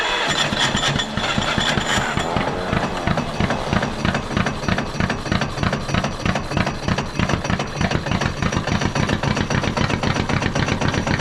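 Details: Caterpillar D8 2U crawler main engine running after its first start, revived after work on its pilot (pony) motor: even chug at roughly three firings per second, steady and strong, no knocks or misses; motor sounds fantastic, normal running.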